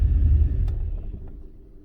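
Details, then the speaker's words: 1999 GMC truck, 6.0L V8 gas swapped in for the 5.3, with 4L80 transmission, randomly stalling: low rumbling run sags and dies within two seconds; MAP read 4.8 V, baro 26; cause was a bent ECM connector pin. "Yeah, see, and it just stalled. I don't think that map reading is correct."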